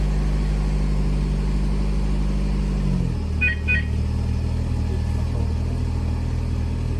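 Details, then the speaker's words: VAZ 2110 started by remote autostart from a newly installed push-start alarm: ignition on, the engine catches with a couple of alarm chirps and keeps idling steadily and evenly; normal. "Басып ұстап тұрдық. Зажигание қосылды. Көлік оталды."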